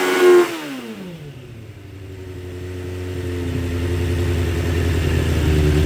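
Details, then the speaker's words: 2006 Suzuki GSX 600F Katana after carb cleaning, sync, float and TPS adjustment, mixture screw setting guessed: after throttle blip revs hang over a second before sinking slowly to idle; cause unconfirmed, owner suspects mixture screw. "um see if it goes up in the High Rev in the first rep it does and uh and it kind of goes slowly back down again"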